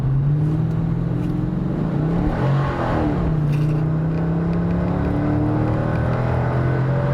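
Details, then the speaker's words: 1998 Chevrolet Corvette C5 V8 on a test drive, accelerating: a deep, smooth V8 burble that rises and falls evenly with throttle, with no knocks or rattles. The sound is amazing, a normal healthy exhaust. "the sound is amazing I have to say that soundest cool especially when you are you know European all their engines we date is here and exotic"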